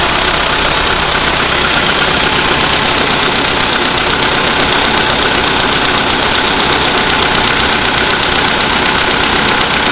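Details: VW Polo Sedan, CFNA engine, 2222 km, cold start at -5°C after sitting overnight; oil three marks below max, Lukoil 98 fuel. Quick regular tapping, about four per second, over the engine note at cold idle. Cause unknown.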